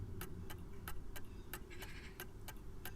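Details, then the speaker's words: Smiths (Enfield) clock movement after adjusting the upper pendulum slightly right on the sloping clutch: crisp tick-tock about three beats a second, near-even spacing; clock now in beat. "you then release it and we should hear a regular tik tik tok tik tok tik tok tik tok"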